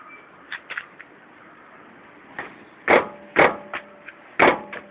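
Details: Toyota Corolla Verso; irregular sharp clunks in short bursts with no engine drone; brake pad knock.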